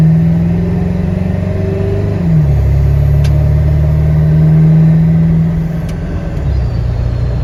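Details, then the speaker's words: Ford 7.3 Powerstroke diesel, stock apart from exhaust, on a rebuilt upgraded turbo, driving under acceleration; deep even drone stepping up cleanly with no knock or rattle; healthy turbo spool, running better than the stock turbo. "Running way better than it was with the stock turbos, so I don't know if you guys can hear that"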